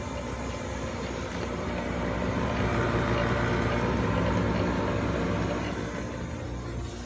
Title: My Goodman GMPN080-4 Furnace Blower Motor Fan Making A Rumbling Sound